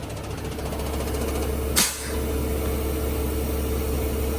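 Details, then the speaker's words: Truck at idle: quick light ticking, roughly three per second, as the air compressor keeps kicking on to feed a leaking cab air bag. "that's my compressor constantly kicking on because that bag is leaking"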